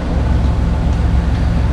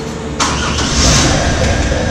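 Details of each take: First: 1997 Camaro 3.8 V6, sat over 10 years, after fuel pump replacement: smooth, even low rumble at steady idle with no ticks, misses or surging; runs cleanly. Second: 1997 Camaro 3.8 V6, sat over 10 years: starter spins engine steadily about eight seconds without catching; cranks but no fuel delivery, fuel pump to be replaced.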